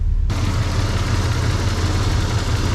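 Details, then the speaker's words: 1994 Toyota 4Runner 3VZ V6 after major engine repair. It is hard to start, and the owner suspects it is losing fuel pressure. With the AC compressor running, the idle is rough and lumpy with stumbles. "so the AC has a chance of working it's oddling terrible"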